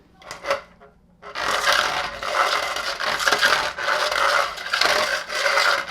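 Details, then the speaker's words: Henry Allergy HVA160 canister vacuum extra floor tool pushed by hand with motor off: dry uneven scraping and squeaking; squeegees copied from the original tool are out of specification and drag. "vacuum is not on that's the sound it makes and what happened is when they copied this from the original floor tool the squeegees are out of specification"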